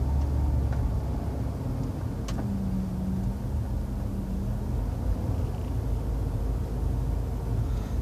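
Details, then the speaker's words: 2000 Dodge Caravan wheelchair-accessible van on test drive, steering cranked hard right at full lock: only low road rumble, no clunks, pops or groaning from the front end; steering sounds healthy. "i'm just going to crank this hard to the right so you can hear the front end no"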